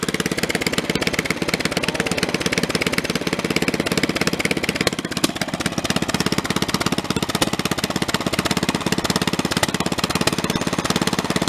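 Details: Snapper 30083 mower engine, first run after 20-25 years abandoned, junkyard flywheel fitted: rough shaking beat about 3.5 pulses a second with rattly chatter; severe vibration, flywheel likely doesn't match the non-synchro-balanced engine.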